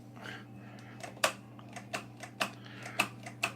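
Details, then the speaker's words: Razor E300 electric scooter charged 12 hours: sharp irregular clicks about every half second over faint hum, wheel motor never spins; batteries under 24 volts, too weak to drive it, battery replacement planned. "I let it charge for 12 hours and I didn't get no type of acceleration. So I'm gonna turn it on and demonstrate. As you see, it's on. You can hear the click,"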